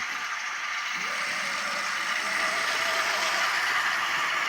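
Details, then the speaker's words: Atlas Cotton Belt RSD-4/5 locomotive motor after rebuild, unrun for years: thin, steady high whine firming up as the small motor spins, with a light rattle; commutator may need lubricating, more likely just needs run-in. Cause suspected, not confirmed. "sounds like the commutator needs lubricating on this"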